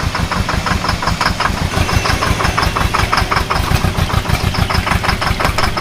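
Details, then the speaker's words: UAZ after offroad driving through water: rough, uneven idle with a steady beat of sharp knocks; the engine is misfiring and knocking, cause unclear. "Андрюх он затроил да что-то Слушай затроил движок"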